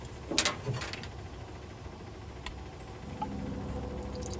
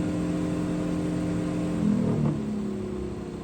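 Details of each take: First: 1969 International Scout 800 heater blower motor, removed and run after penetrating oil, spins up to a steady hum with a raspy whirring edge; vibrates and noisy, dry or worn bearing suspected, owner thinks it's just bad. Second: 1969 International Harvester Scout 800 heater blower motor after penetrating oil and Blaster fix for vibration: smooth steady whir stepping down in pitch from high to low speed, quiet and even; owner unsure how long the fix lasts.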